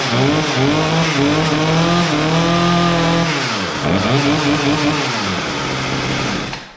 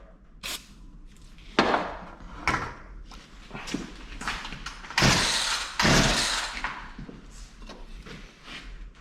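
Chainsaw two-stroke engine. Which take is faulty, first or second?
second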